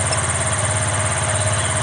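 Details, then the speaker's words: Yamaha Exciter motorcycle being checked for severe hesitation and jerking. A fast, steady idle hum with no misses or hunting, clearly quicker than normal. Idle speed is set too high. Target idle is about 1,400–1,500 rpm. "rồi thì cái cái thời gian phòng này nó đang báo cao là do cái Vòng tua máy cao lên thứ hai nhà nặn cái Còn tua này nó có vectơ thì cho nó nằm ở khoảng 1000 tư ngàn rưỡi là là đẹp nha anh em"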